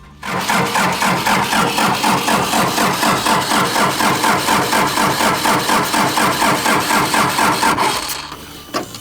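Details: Daihatsu Scat 4x4 diesel that sat 15 years: steady starter churning at about two compressions a second for eight seconds, never catching. No fuel at the filter; owner suspects the injection pump isn't going into excess fuel.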